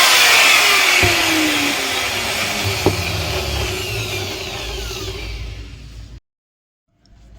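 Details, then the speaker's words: Angle grinder that had been making a loud noise, tested after its bearing was replaced: a high, even whine that winds down smoothly after switch-off, with no grinding or rattle. It now runs smoothly. "इसको check कर लेते हैं friend ये देखिए बहुत ही smooth चल रहा है ठीक है"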